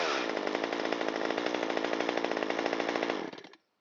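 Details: Stihl MS193T chainsaw, straight-gassed and not starting, rebuilt with a new piston and cylinder kit, on its test run: a high, crisp two-stroke buzz at even pitch for about three seconds, then a clean cut-off; normal running.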